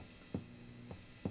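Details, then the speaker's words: 1966 Fender Deluxe Reverb amp, guitar unplugged, no signal: low steady hum with soft thumps appears once reverb passes 3, then quiets toward 10; owner thinks it is muting, cause unconfirmed. "And without any signal, as soon as you get past the 3, it kind of introduces this weird hum. And then it gets kind of quiet when you go all the way up to 10."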